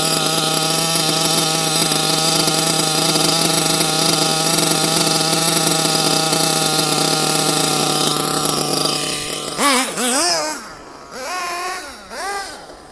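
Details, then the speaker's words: Nitro RC engine after leaning the needle another half turn: steady high-pitched scream holding revs cleanly before dropping away; runs better with leaner mixture. "i'm gonna make it a bit leaner i'm gonna go half a turn again"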